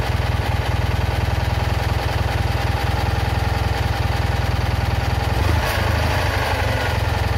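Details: Citroën Ami 8 small twin idling with a fast chuffing beat that stumbles now and then. Points spark heavily, the plug spark is weak, it coughs through the carburettor, and the engine is hot. Owner blames the ignition condenser for the misfire.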